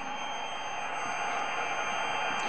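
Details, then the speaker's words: Heathkit HW-22A 40 m SSB transceiver powered by a Heathkit HP-13 solid-state DC supply: steady, even high-pitched whine over light hiss at switch-on, believed to be the supply's normal whine. "now let's go ahead and turn this thing on you'll notice right away we got a wine out of this i think that's normal"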